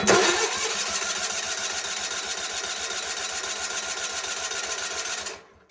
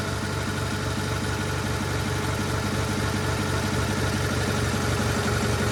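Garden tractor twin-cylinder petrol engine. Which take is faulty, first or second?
first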